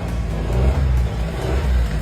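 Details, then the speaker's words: Car engine after cleaning the carbon-clogged air flow / intake pressure sensor and intake tract with cleaner: deep rumble swells smoothly under throttle with the earlier whistle gone; problem fixed, intake healthy. "到没有？咻咻咻的声音没有了，问题啊已经彻底解决了。"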